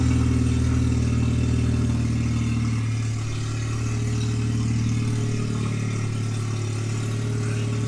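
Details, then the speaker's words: Manual Mercedes C230 Kompressor supercharged, 183,000 miles, started in a garage with open headers and the exhaust bypassed: very loud, raw, unmuffled rumble swelling as it revs; no exhaust restriction, header and catalytic converter to be replaced. "Jesus that is loud oh boy so if you're gonna start a car with open headers in the garage maybe wear some earplugs it's pretty loud"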